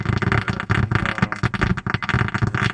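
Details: 2006 Honda Accord 7 head unit with built-in amplifier: choppy crackle and hiss in uneven bursts in every mode, volume control not responding; cracked solder joints on the board, fixed by resoldering suspect joints.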